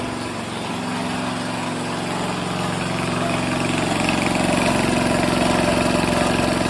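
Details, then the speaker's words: Grandfather's 1978 3hp Briggs and Stratton compressor after pulley repair and tune-up, pumping the tank up to 20 psi: even, fast single-cylinder chug with steady pump thumping as load builds slowly, no misses; normal running under load. "up to 20 pounds pressure already"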